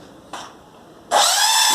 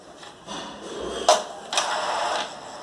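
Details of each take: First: Epson L210/L310/L355 printer at start-up, the head reaching its working position with all lights flashing: a brief click, then a harsh high grinding squeal from the carriage, caused by a belt tensioner out of position. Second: Epson L210/L310/L355 printer after reseating the jammed carriage firmly against the chassis: start-up initialization runs smoothly with short motor whirs and two crisp clicks, no grinding, carriage positions correctly.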